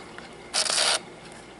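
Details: Fuji Discovery 1000 Zoom Date 35mm camera, after a battery reset from an interrupted rewind: a short, even half-second whir as the shutter fires and the motor winds; working normally.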